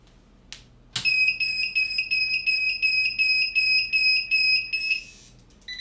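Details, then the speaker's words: 3000W/6000W off-grid power inverter with no AC output/stuck overload: switch click then a shrill chirping tick about three times a second, output fluctuating 130–134 V, traced to a board area. "hear that ticking sound look at the fluctuation 130 134 133 it's ticking away and that's flashing"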